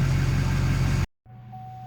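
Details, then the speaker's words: 2004 Duramax LB7 diesel after FASS lift pump install: steady, deep, smooth idle, then engine off leaving only a faint smooth pump hum; lift pump very quiet, barely noticeable with truck running or off. "Very, very minimal noise. I don't know if you guys will be able to hear that, but it is not loud at all."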